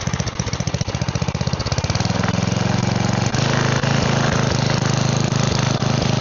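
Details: Side-shaft small engine for a go-kart after fuel line repair, running on a 2x4 with air filter off and smoking: rough at first, then a steady even putter with no misses or knocks; seems to run fine.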